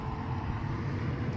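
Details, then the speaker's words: 2015 Nissan Rogue after blower motor replacement for no airflow: replacement fan at full speed gives a steady even rush of air with no rattle or whine; blower working normally. "This thing should start blowing. I hear it. There she goes. Nice. Got it at full blast."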